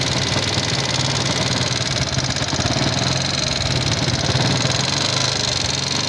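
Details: Yamaha Jupiter MX King fuel-injected motorcycle, thin exhaust smoke, before teardown: loud rough idle with busy irregular clattering rattle; combustion-chamber wear (piston, rings, valve seals, guides) suspected, not confirmed.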